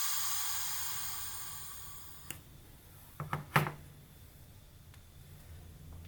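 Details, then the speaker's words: Home-built Farm Boy hit-and-miss model engine pressurised to about 35 psi: thin hiss fading over two seconds as pressure bleeds down, then a few clicks; intake valve seat leaking and needing relapping, exhaust possibly leaking slightly. "just feel a bit of air coming out so that will need to be relapped i think the exhaust is okay well there might be a little bit coming out the exhaust as well"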